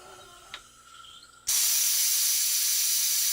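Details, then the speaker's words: Challenger 357 air rifle after power valve upgrade, booster pump topping reservoir up to 4500 psi; quiet, then sudden steady high hiss of air rushing in that holds even; normal fill, no leaks. "So now we're going to use the booster pump to push it up to 45."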